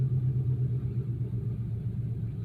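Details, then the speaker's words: 1993 Chevy Lumina restarted after sitting about six days, where an idling issue had appeared. A low, even rumble idling smoothly with no knocks or misses, settling down a little as normal. Normal idle. "idle down a little which is normal it's idly normal"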